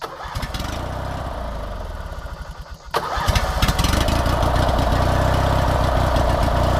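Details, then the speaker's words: 19.5 HP Opposed-twin riding mower after carb cleaning and bad solenoid diagnosed, fuel bottle-fed: brief cranking, then catches cleanly into a steady, even idle, no smoke, misses or knocks; runs healthy. "Dude, she fired up easy, too. And it's running good."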